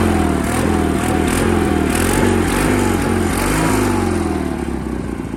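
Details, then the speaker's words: Sears GT 19.9 garden tractor, big-block engine with larger mufflers, first start after sitting about 2 years; steady throaty beat rising and falling slightly on throttle, even and unbroken, normal running that sounds torquey. "Oh, it sounds completely different. These mufflers are like another maybe half a size, if not another full size bigger than the 18's mufflers. It sounds good. It just sounds way more torquey."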